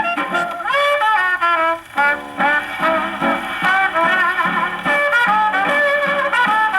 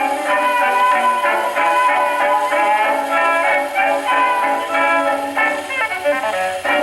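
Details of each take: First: Paillard model 302 portable gramophone, suspected late 1930s, with a factory large reproducer and small horn, playing a late-1920s Tommy Dorsey electrical record on low tone: pinched, blaring, bass-less sound with harsh peaks; the record overwhelms the small horn. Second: Paillard model 302 portable gramophone, suspected late 1930s, with a large factory reproducer and small horn, playing an early-1920s acoustic record: brass band at a steady pitch with no wow or rattle, coming through the small horn cleanly.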